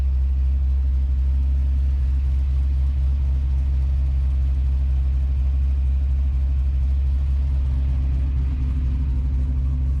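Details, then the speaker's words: Chevelle with a fresh, not yet broken-in 370 LS V8, not yet warm as the 200° thermostat hasn't opened: deep, steady rumble with an even beat and no tapping or misses, air-fuel good and oil pressure great; normal idle. "I mean, it's idling nice, air fuel's good. It hasn't even popped the thermostat yet."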